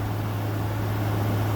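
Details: First run in 5 years of a 2014 5000 BTU Frigidaire window AC on high cool: a steady, even low hum with a soft airy rush and no knocks or rattles. Air is 52 and dropping, and the compressor runs normally and really quietly.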